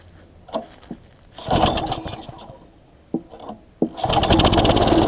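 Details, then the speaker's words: Quantum-powered 3.5 hp weed trimmer, freshly fitted with a new carburetor that was priming (wet inside); a few sharp pull-cord tugs with sputters, then it catches and buzzes on. Reluctant, hard starting. "I wanted to be a little difficult there let it rock up a little bit"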